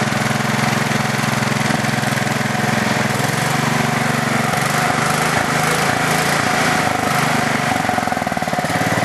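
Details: Craftsman LT4000 lawn tractor single-cylinder engine on two-year-old gas with no stabilizer, needs a carb clean: a loose, uneven ticking clatter of a couple of beats a second over the exhaust; owner suspects the valves, not sure.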